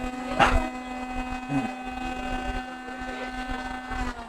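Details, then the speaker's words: Hot air rework station, still working otherwise: steady loud low hum with faint whine, fan running continuously and far too noisily, no longer going to standby; owner suspects a thermistor or similar internal fault. "it's too noisy. It's too noisy, and even if I put it on it's no longer going on standby."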